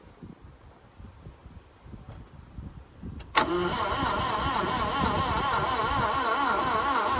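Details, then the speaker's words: Parked carburetted 1988 Subaru Brat/Brumby that the owner says ran poorly: the starter spins it light and even at about three to four beats a second without firing; testing found it down on compression. "Nothing. Nothing. Wonder if a bit of throttle will help it. No, there was a bit of a gallop there, but nothing definitive."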